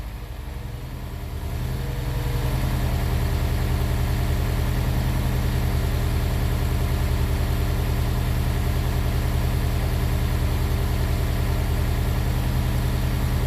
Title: Misfiring S2000